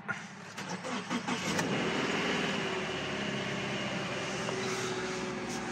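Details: 2013 Subaru Impreza Sport after replacing failed coolant crossover pipe O-ring, first start before warm-up: quick crank, catches cleanly into smooth even idle, no knocks or ticks; healthy start.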